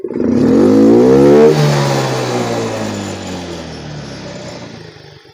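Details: Yamaha Mio M3 125 injected scooter: sharp full-throttle blip, pitch climbing smoothly then falling back evenly with no stumble; normal healthy rev response.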